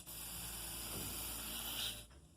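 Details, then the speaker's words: Steady high hiss of escaping air for about two seconds, then it drops away; a Harbor Freight Central Pneumatic 1/2" air pressure regulator leaking air where it should seal. "it's supposed to stop. But you can hear it. Hear it? It's not supposed to leak any air out of here."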